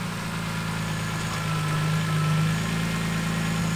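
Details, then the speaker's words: BMW E46 M3 S54 engine, first start after rod bearing replacement. Even, settled idle with a steady rhythm and no knocking from the bottom end. Normal idle. "All right, first time starting the engine after installing the rod bearings. Let's see. So far, so"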